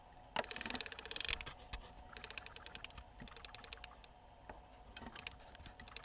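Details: Nakamichi MB-3s Music Bank CD player, power off, drawer open: turning the laser sled drive gear by hand gives a run of quick dry clicks as each tooth ticks past a crack in the gear; cause of skipping partway through the first track.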